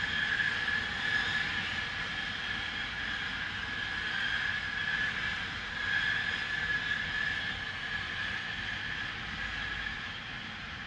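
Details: Loud continuous hissing noise from an industrial plant, recorded at a neighbouring property boundary at 8:45am on 6 April 2021, audible over 100 m away: steady rushing hiss with thin whistle throughout.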